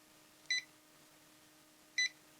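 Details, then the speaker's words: Muxall Pro BBQ controller during ESD testing, zapped with static: two short high beeps about one and a half seconds apart over faint hum as the controller resets; reset beep after electrostatic discharge. "it will beep when it resets AC ADC i put a fix in there for that"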